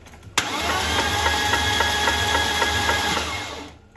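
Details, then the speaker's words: Newly built BMW M52B30 stroker with custom cams and ITBs in an E36 328i, first crank with spark plugs out, no compression: steady cranking near four beats a second with a metallic ticking on each beat; abnormal cranking noise, source unknown. "I don't know what it could be like it sound get knocking but that wouldn't make any sense"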